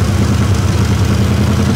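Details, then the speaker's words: 1960 Chevrolet Impala after a fuel fix, warming up and charging the battery (12.7–12.8 V), smoking slightly: a deep, even idle with a smooth, regular pulse and no knocks or misses; normal idle. "so smoking a little bit she's flirting a little bit but hey what do you want what do you expect it's actually starting this cycle water now"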